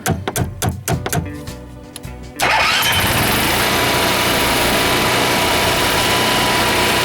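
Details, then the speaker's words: Class C motorhome generator that takes many start attempts: sharp irregular taps and clicks, then it catches and runs steadily and loudly; starts only when the owner taps on the solenoid while pressing start, then may quit; sticking starter solenoid. "actually so we'll start if I beat on the cyer I tap on it it will start then it'll quit see it's not it's not starting now"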